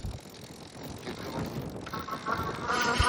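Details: Lectric XP 4.0 folding e-bike while riding: a tinny metallic vibration buzz rises out of wind and road noise, loud at 10 mph and stopping at 11 mph, no noise riding slowly; speed-related, source unknown.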